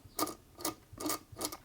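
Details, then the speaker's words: Singer Featherweight 221K Centenary sewing machine after feed dog height adjustment: slow, even metallic clatter about twice a second from the hook running dry in its race; oiling it quietens it a lot. "i think most of that's the hook a dry hook race get a bit of oil on there there you go quieten it up heaps"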